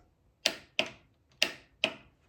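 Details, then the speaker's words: Triumph Spitfire engine on test stand, push-button wired to starter solenoid: four sharp, crisp clicks about half a second apart with nothing behind them, starter solenoid engaging; normal starter solenoid click. "that means my starter solenoid is engaging so at that moment at that point I should be able to go ahead and fire up the starter"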